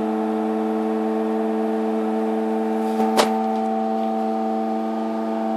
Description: While on timer to do a wash in the night I was woken by my LG washer/dryer (F1403RD) making this really loud noise, does anyone know what it is ?